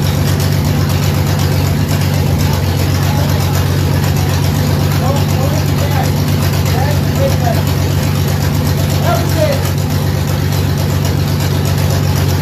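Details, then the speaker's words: 1967 Ford Mustang under restoration, V8, after earlier running trouble: smooth, even low burble with steady beat, no misses or stumbles; idling cleanly on restart. "that time it ran and ran good so we're going to start it up one more time"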